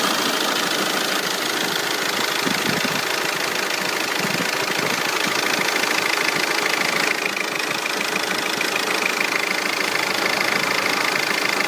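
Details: Audi PD170 TDI diesel, long-standing strong exhaust fumes now smoking too: idle with uneven lumpy clatter about three times a second, a cylinder misfiring; cause not yet pinned down.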